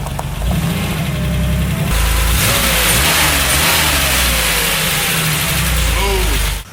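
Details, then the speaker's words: 1977 Porsche 911 air-cooled flat-six after months of hibernation, fresh oil change, new oil cooler hose and battery; revs up cleanly and settles back evenly, no knocks or misses; sounds smooth and good. Healthy engine revving. "Man, that thing is smooth even with those old crusty wheels. Thing sounds good."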